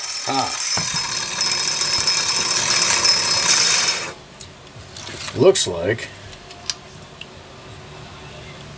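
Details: Homelite 330 chainsaw, once near the trash heap, on its first test run after a quick repair: high, raspy two-stroke buzz held strong for about four seconds, then shut off; pulls evenly, normal running.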